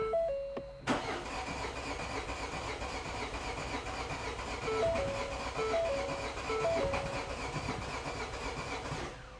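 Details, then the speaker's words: 2015 Ford Fiesta 1.5/1.6 TDCi diesel, fault code P0340, no start after -10° cold with frozen coolant, camshaft sensor refitted: starter cranks several seconds, gives a kick to about 400 rpm, cam/crank sync reads on, but never catches; crank, no start. "that says on, and it's like it wants to start it. So let's. So, and that gave a kick there, so it went up to 400, and that's saying on."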